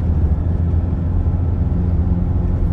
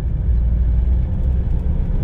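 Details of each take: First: Toyota Hilux 2.5 after repair of vibration at 50 km/h and a bearing noise at 80 km/h, test drive at 80 km/h: even, steady low road rumble with no bearing hum or rhythmic vibration; driveline healthy. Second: Toyota Hilux 2.5 at 80 km/h with a deep, steady rumble in the cab like a worn bearing under load. The truck also vibrates at 50 km/h. A bearing is suspected but not confirmed.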